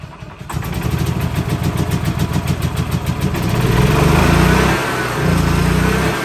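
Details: 2013 E-Z-Go gas golf cart engine on choke: cranks, catches, then runs unevenly with surging revs; owner suspects carburetor not pulling enough fuel even at full throttle, needs carb kit (and new belt).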